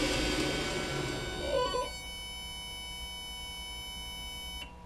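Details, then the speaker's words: Homemade 18-inch-contact knife-making belt grinder with heavy 10-inch drive wheel, 2 hp 220 V AC Tech Lenze MC1000 drive: motor whirs down on stop, then a steady hum for a few seconds, normal DC injection braking (about 8 seconds). "so I'll start it and stop it and then you'll hear a little humming at the end that will be the injection braking set up at uh I think 8 Seconds"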